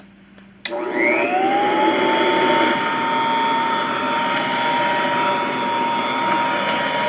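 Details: Vintage all-metal Royal Model 153 vacuum, 3-amp bushing-style motor, owned 22 years: spins up quickly to a steady even hum with a clean whine, no rattle or labouring; smooth, very quiet, normal running.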